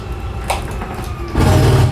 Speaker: Once you hear that gear grinding noise, you know that you're gonna be fully extended.